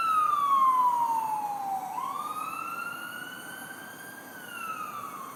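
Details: HECO utility pole power line or transformer outside a condo, screeching at night for over a year: a loud whistling screech slides down in pitch, then climbs back and holds high. Piercing electrical squeal, cause unknown.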